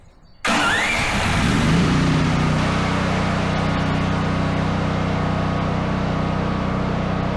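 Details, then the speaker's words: Duromax 13000 generator after new spark plug, repeated start test: short crank, catches at once, settles into steady even idle with no exhaust pops or backfiring; normal start and idle. "well that's two successful starts I call those a success that one didn't start but the choke was all the way open and once it came back it started there was no backfiring"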